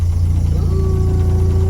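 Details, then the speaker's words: 1979 VW Rabbit running just after fuel, oil pressure and water temp gauges were installed: a low, uneven idle with a faint pulsing lope and a thin steady tone above it; the engine sounds about to stall. "all right cool sounds like it's gonna die out oh is this climbing"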